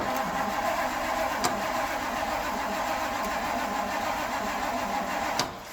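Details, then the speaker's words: Classic Ford cranking on a jump pack, no choke, after years of sitting: steady cranking drone for about five seconds, slow cranking, no firing; crank, no start. "oh she is ornery that's not a good sign I'm going to let this starter cool for a moment here you know this thing is cranking over really slow and we are slapping it with a ton of amps"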